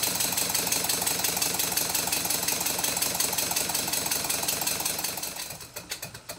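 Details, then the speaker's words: Stuart Twin Victoria miniature steam engine after a complete rebuild of a factory-machined kit: fast, fairly even exhaust beats, not perfect, with a light mechanical chatter; a slight knock remains, suspected to be side slap on the connecting rods. "in this clip the beats are fairly even not perfect but even enough I think there is still a slight knock and I think it's side slap on the connecting rods"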